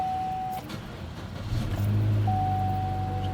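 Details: 2012 Chevrolet Cruze 1.4 Ecotec after alternator replacement: fires up and settles into steady, even idle with no knocks or whine; battery light goes off, check engine light remains on; healthy.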